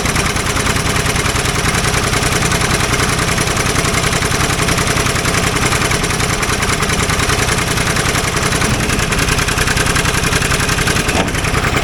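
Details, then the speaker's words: Old Ford loader backhoe, long unused, rough uneven idle with irregular pops over the engine beat; mechanic suspects it isn't getting full gas flow, as a fuel line connection leaks gas badly; cause not confirmed. "there was a lot of popping going on um which I actually think uh is because it's not getting full uh gas flow because when um what I noticed is it's leaking gas like pretty freaking bad out of one of the um fuel line connections"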